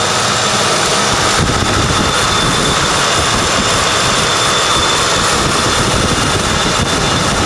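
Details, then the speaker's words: 1995 Ford Crown Victoria LX, under 12,000 miles, long stored then serviced, engine still fairly cold: a steady, even, quiet idle with no knocks, misses or ticks; normal idle. "And the engine's still kind of cold, but you can see right here just how quiet it is. Putting my hand on here, you can see, or I wish you guys could tell just how smooth this thing is running. It really is a nice smooth engine."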